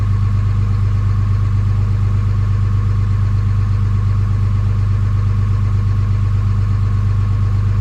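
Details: Early 2007 Ram 3500 5.9 Cummins diesel, G56, 326,000 miles, cold at 31°F, automatic factory high idle; deep, even rumble with regular beat, no knocks or misses, healthy.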